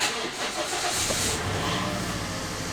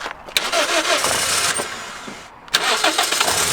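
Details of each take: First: Mk2 Toyota Yaris SR 1.8, sat in a field nearly a year, with new battery: short labouring crank catches and stumbles into rough uneven running, reluctant to start; battery light on, owner suspects failed alternator. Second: Cheap Mk2 Toyota Yaris SR 1.8, sat in a field nearly a year, started on a smaller Fiat 500 battery: brief starter whirr, a pause, another crank, then catches into a steady, even idle; alternator later found faulty.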